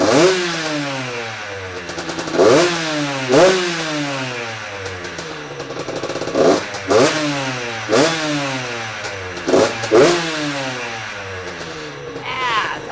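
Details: Freshly built Yamaha YZ85 two-stroke with new crank, still breaking in, coolant circulating: crisp ringing blips sweep up and fall back every second or two, clean with no knock; normal revving.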